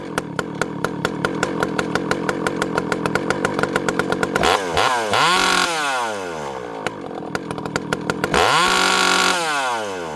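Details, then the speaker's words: Rebuilt ported 064 saw with a new carb replacing a bad one whose low jet wouldn't tune: full-throttle scream sweeps down and up as the mixture is adjusted, 3/4 turn from too rich to too lean, then drops cleanly to steady idle; carb responds properly. "Okay, guys, 3/4 of a turn, and it gets too rich. From too rich to too lean, 3/4 of a turn."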